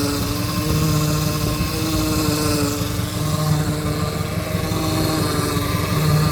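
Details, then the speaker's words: Opala power steering pump at idle: steady droning whine with the wheel untouched, steering somewhat stiff though not fully; fluid level is fine, so not low oil; power steering noise at idle. "Vou ligar. Espero que vocês me ajudem aí, galera. Olha lá. Aí, ó. Essa zoada aí, galera. Ó. Óleo tem, não é falta de óleo."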